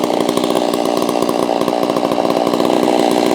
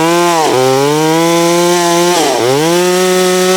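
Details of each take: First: Holzfforma G660 chainsaw, warmed up, during low-speed screw tuning after a top-end power loss: steady, fast buzzing two-stroke idle with no dips, set a little too high so the chain creeps forward at idle; idle speed too high, to be turned down. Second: Holztfforma G660 chainsaw milling, which had been losing power at top-end RPM, tested after warming up: two throttle blips then a steady high scream holding pitch in the cut, pulling cleanly; owner says the low end still needs adjustment.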